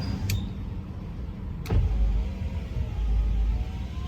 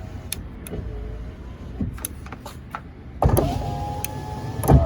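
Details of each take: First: 2004 Ford F150 FX4, passenger-side power window cycled during voltage testing while the driver's side would not roll up: a smooth, low motor hum with a clean clunk at each end of travel. The window motor sounds healthy. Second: 2004 Ford F150 FX4 driver's side power window that would not roll up: motor whirs in short bursts with pops and clunks inside the door; intermittent fault, motor appears fine, owner suspects something binding in the door.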